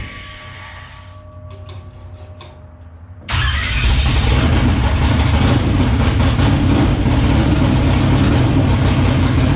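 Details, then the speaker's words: Race car with a newly installed starter: brief even cranking with no dragging or grinding, then the engine catches into a loud, steady rumble; new starter working properly. "Now that I know that the engine starter sounds good, not really dragging all that much, just resistance of the motor, I'm going to work on putting the brakes on the front."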